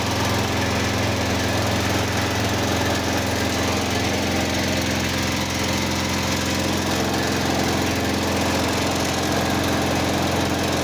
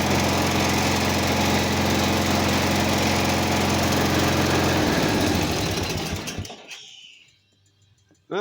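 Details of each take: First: Simplicity 4212 lawn tractor restoration, first start after engine work: uneven, loping running instead of a clean steady idle. Carburetor issue suspected, not confirmed. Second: Simplicity 4212 lawn tractor during restoration, after first start: steady, even single-cylinder beat at constant speed, then clean shutdown; runs and starts well, though owner suspects something with the carb.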